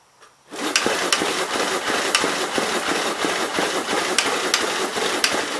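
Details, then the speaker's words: 1951 Gravely Model L 6746 with Wico magneto and missing fuel bowl, hard to turn over and spitting oil from the muffler: steady starter clatter with a few irregular pops. It fires only on fuel splashed into the air cleaner; owner suspects no fuel is reaching the carburetor. "i don't know that we're actually getting any fuel up to the carburetor though or down through it so give her a splash down on the air cleaner and see what it does"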